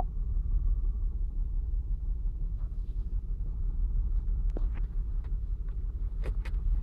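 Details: 2008 Saturn Outlook on cold start, cylinder 1 misfire seen with the Torque app and a BAFX Bluetooth tool, only when cold; low idle rumble dipping and stumbling unevenly, roughly three beats a second.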